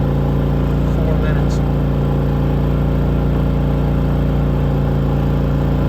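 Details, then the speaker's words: Harbor Freight Predator 3500 inverter generator at about 800 hours, after an oil change, new spark plug and cleaning of a clogged spark arrestor: even, steady hum at constant pitch with no surging, misfires or rattles; running healthy. "Got the oil changed, spark plug changed, and cleaned that spark arrestor up, and it's running good now."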